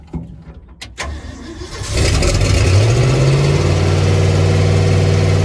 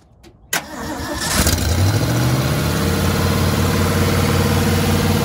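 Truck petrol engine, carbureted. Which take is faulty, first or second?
first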